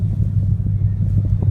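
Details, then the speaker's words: 2015 Mustang GT V8 on a custom tune with P0300 and P0308 cylinder 8 misfire codes and sluggish power: deep idle, a little fast and slightly uneven, higher than expected; cause not pinned down. "so I don't know if you hear you know it's it's idling higher than what it would think was it was it was not sure what the damn"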